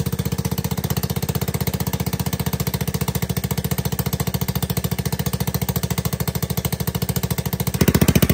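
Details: ATK 125 go-kart single-cylinder with a newly fitted homemade welded muffler: sharp, loud, even exhaust beats at steady speed, only slightly quieter than before. Owner suspects an exhaust leak. Loud exhaust.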